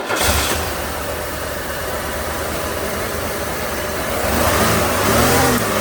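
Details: 1994 Buick 3800 tuned port, cylinders one and four firing again: steady even idle, no stumble; coil leaking, number four plug gap wide, plugs, wires and coil to be replaced.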